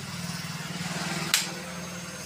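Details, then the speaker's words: Hero Splendor 2024 BS7 E20 with starting problem, heard at ignition key-on: steady buzzing pulse, sharp click, then even pump hum; fuel pump priming normally, yet bike still won't start. "यानी, bike ईंधन pump भी ठीक से काम करें कर रहा है।"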